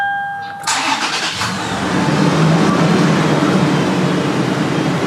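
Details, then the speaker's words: 2019 Toyota 4Runner 4.0 V6, about 139,000 miles, first start after replacing original spark plugs: starter whirs briefly, engine catches cleanly and settles into a steady, even idle with no misfire or knock. "But we're going to go in now, and I am about to crank her up for the first time since we got finished."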